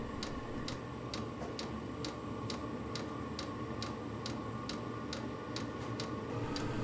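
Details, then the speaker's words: VEVOR Chinese diesel air heater on a 12 V deep-cycle battery, pump frequency 5.2, running after preheat: sharp, regular ticks about twice a second over a soft burner hum; the fuel pump is feeding diesel normally. "so after the controller is done with the starting procedure i can hear the burner burning and i can hear the fuel pump pumping the diesel fuel into the burning chamber"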